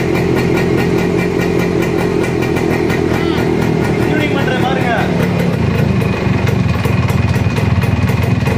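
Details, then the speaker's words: Suzuki Max100 two-stroke just started after home carburetor cleaning, screw set at one and a half: steady, even idle with a fast, regular putter and no stumbling. Normal idle, successful start. "பாருங்க ஒன்றரை கரெக்டா வச்சிருக்கேன் வண்டி start ஆயிடுச்சு நண்பா success"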